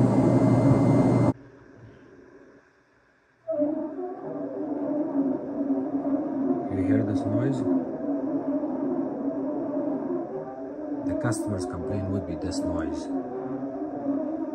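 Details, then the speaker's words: Miele washer after door gasket (bellow 7887943) replacement, running the diagnostic fast spin cycle: droning spin hum with a wavering, moaning squeak as the drum rubs the new door gasket, leaving rubber debris and warmth. Normal break-in that fades after a few spins. "so you want to run this until you get rid of the noise and I'll show you something here when you run that um a Spen Sole for couple of times you're going to see some rubber debris here"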